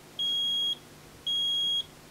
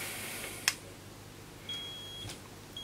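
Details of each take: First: Vinidex HST-S-160 electrofusion welding unit after repair, first power-up: two clean, high-pitched beeps about half a second each, evenly spaced; normal start-up signal, no error pattern. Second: Vinidex HST-S-160 electrofusion welding unit powered up with a 20-ohm, 1000 W resistor as the load: a click at switch-on, then four high half-second beeps about a second apart showing error 1, power supply failure; a weld attempt then gives error 2, coil not sensed.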